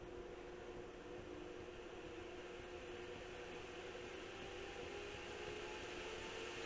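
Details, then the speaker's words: GPU cooling fans driven by an oscilloscope signal generator on the PWM line, ramping up from restart as duty cycle rises: steady airy rush with a faint hum edging upward; the fans respond cleanly to the control signal. "133% the fans kick on again and as I increase JY cycle I'm changing the speed of the"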